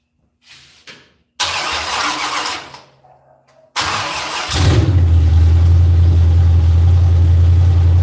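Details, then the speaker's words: V8: the starter drags through two labored cranking bursts before it catches and settles to a steady idle. The timing light won't line up on the timing marks; the cause is suspected, not confirmed. "Is that good? No, it's just cranking too hard. And bring it back."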